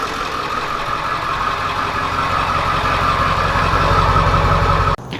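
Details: 7.3 turbo diesel van idling after new alternator and serpentine belt rerouted; charging, no dash lights, steady low diesel clatter with faint belt tone, no misses or knocks — normal healthy idle.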